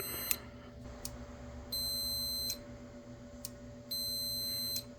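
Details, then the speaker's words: 2005 Honda CBR600RR front brake lever switch, cleaned with electronics cleaner: two steady high beeps under a second each as the lever is pulled, switch closes cleanly and is working. "Let's take this switch off. I mean, it sounds like it's working, so maybe it's just dirty."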